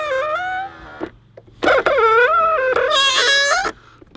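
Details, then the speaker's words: BMW X1 E84 power-folding exterior mirror: loud, wavering high squeal each time the mirror folds, stopping between movements; squeaks even more after lubricating with silicone and then graphite oil. "das hätte ich nicht für möglich gehalten dass das jetzt nach dem Ölen mehr quietscht als vorher"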